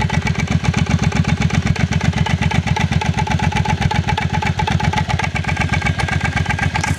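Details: Motorcycle idling with deep, even thumping clunks at about four beats a second; cause unknown.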